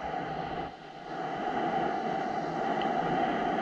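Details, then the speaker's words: Compressed air leak heard through an ultrasonic leak detector: a steady rushing hiss that dips briefly, then holds. The air is escaping at a shop air drain whose rubber gasket is to be replaced. "so that noise that noise that you're hearing is literally the air rushing out of this leak right here in our drain"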